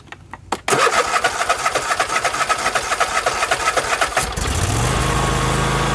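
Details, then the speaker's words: Husqvarna YTH24K48 lawn tractor that cranked but wouldn't fire, after replacing a holed fuel hose: cranks briefly, catches, settles into steady even small-engine idle with no misfire; fixed. "that's the sound i like to hear now that was really cool i'm glad that i was able to find that simple little fix"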